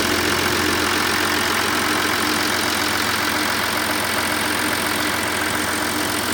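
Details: Audi A6 C6 2.7 TDI diesel, fully cold with Castrol Edge 5W30 oil: a steady diesel clatter at idle holding an even rhythm and level, with no odd knocks. A normal cold idle.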